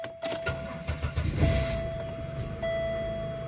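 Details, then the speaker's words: Cold engine that had been stalling and hard to start cold, after fixing badly rusted spark plug wire: catches first crank, settles into steady even idle with chime in background; engine seems fixed. "that's cool my engine seems to be fixed moral of the story change your spark plugs and your spark plug wires"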